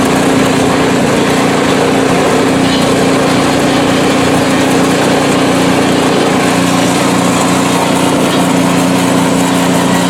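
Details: PowerSmart 24" snowblower small engine, ninth season, about 50°F outside, test run on sidewalk; steady, even drone at constant speed with no misses or surging; running normally, performing perfectly.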